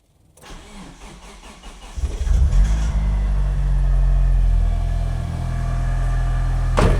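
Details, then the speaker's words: Mitsubishi Evo first start after a timing belt job that corrected previously off timing: brief crank, clean catch, smooth steady idle with no misfire or rattle; runs smoother than before. "Hey, I'm happy with that. That sounds pretty smooth. That does sound smoother than it did before as well with that with the timing being off. That runs much better than it did before."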